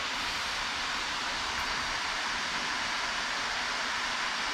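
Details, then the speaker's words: Acer Predator Helios 300 laptop after cleaning fans and greasing the GPU fan with white lithium grease, turbo mode on: steady even airy rush with no ticking, scraping or wavering; fan noise fixed, sounds healthy. "i don't hear it it's terrible oh that's a normal sound of turbo"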